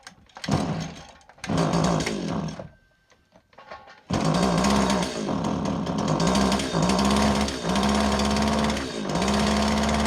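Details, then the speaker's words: STIHL FS80R trimmer two-stroke: rough, blubbery running that sags and nearly dies between throttle bursts, smells of fuel, extremely rich despite a clean air filter; suspected leaking carburetor needle and seat. "it is running extremely rich the air filter plugged looks like a brand new air filter uh Wonder we've got a carburetor needle and seat problem"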